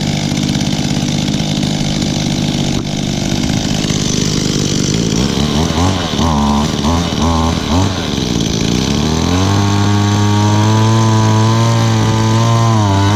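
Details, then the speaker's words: Mid-to-late-1990s Echo with a 21.2 cc engine, stored longest of the group, first start of 2018 on a 76-degree day: buzzy two-stroke hunts and surges unevenly, then holds a high whine; rough running, owner thinks the carburetor needs adjusting. "oh wow it sounds like I need to do some adjustments on the carburetor on this one"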